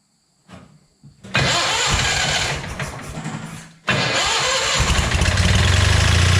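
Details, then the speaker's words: Scrap-yard Hobart welder generator, unused for many years, catches after a couple of cranks and runs unevenly with an odd irregular clatter; source of the abnormal engine noise unknown, cause not confirmed. "i heard this engine run once before i could not tell you what that noise is tell you what though it doesn't sound good try it again"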